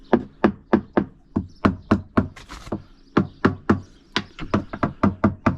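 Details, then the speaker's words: Hammer-tapping the coach top of a free Halcyon 23 fiberglass sailboat, which the owner thinks is solid glass: crisp, sharp taps about three a second ring cleanly with no dull thud; very sharp, solid. "I'm gonna go walk this side deck now, digging my heels in. Paying special attention to around fittings. Nothing squishy at all. No clicking, no delamination."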